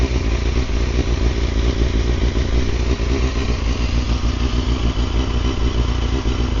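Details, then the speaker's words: Carbureted Honda CBR250RR MC22, first run after 3 years of storage. Steady idle with a slightly uneven pulse and no knocks: running rough. Owner expects heat cycles, fresh plugs and carb synchronisation to help; otherwise no abnormal engine noises. "She's running, not the best, but give a few heat cycles, fresh plugs, synchronise the carbies."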